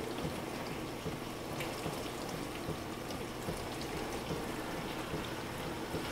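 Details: Frigidaire LFBD2409LF2B dishwasher, two years old (bought 2015), diagnostic test step 5 WASH HEAT, wash motor and heater activated for 75 seconds; soft even water spray and splashing over a faint steady motor hum. Normal wash cycle.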